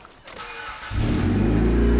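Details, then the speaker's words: 2003 Hyundai Sonata after misfire repair, O2 sensor connected: engine runs well but loud raspy idle with sharp puffing from an exhaust leak past the cat, before temporary exhaust-tape patch. "oh wow all right engine runs great can absolutely hear that exhaust leak all right let's patch up that exhaust leak"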